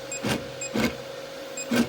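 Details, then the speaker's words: Artillery X3 Plus 3D printer, Z-axis not moving, moves freely by hand, Y-axis fine: short harsh buzzes about every half second over a faint steady hum, axis never moves; faulty Z stepper motor driver. "My Artillery X3 Plus started having unusual Zed height problems, then not moving Z-axis at all and making this weird noise."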